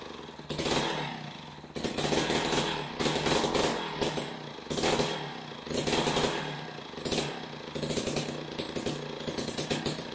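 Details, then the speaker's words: Older Jiffy Model 30 ice auger, unused for several years, last run on ethanol gasoline; after the idle speed screw was turned in, a buzzy raised idle rises and falls about once a second, better but not smooth; owner suspects it needs a carb kit. "w well that certainly runs a lot better than it did but I'm not real happy with it I'm thinking that we need to uh probably get a carb kit for for it"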